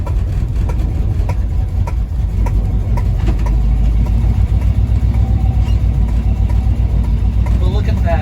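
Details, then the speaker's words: Circa 1980–82 Chevy squarebody V8 truck, project just bought, timing suspected too advanced, driving with transfer case popping out of gear: deep uneven rumble with irregular sharp pops; engine misfiring, cause unknown. "that lovely something is wrong with this engine it's popping really bad"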